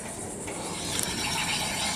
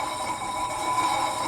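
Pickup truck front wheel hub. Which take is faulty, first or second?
first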